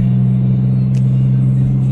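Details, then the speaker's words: Perodua Viva cabin while driving after door sound deadening with foam mat and tape: only steady low road hum, no buzzing or rattling from the door; quiet, tight cabin. "Baiklah selepas semua yang dilakukan tadi saya dapat rasakan ruangan di dalam kabin ini bertambah senyap suara radio semakin jelas dan"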